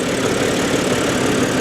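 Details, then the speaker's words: Auction car with straight-six engine, 155,000 miles, just started: uneven stumbling idle under steady drone, check engine light showing misfire; cause not determined. "let's start it [Music] up oh misfire uh-oh yep check engine light missfire"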